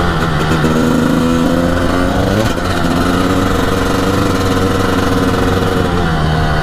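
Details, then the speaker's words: 1998 Honda CR250 two-stroke, first ride this year, riding around the yard and road: crisp buzzy note rising cleanly through the revs, no bogging or misfire; owner says it pulls you back in the seat; normal acceleration. "Oh man, this thing is zippy. Holy cow. This thing will really pull you back in your seat."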